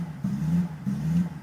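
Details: BMW 545i V8 rough idle: idle swells and sags unevenly, surging roughly every half second instead of holding steady; cause unknown.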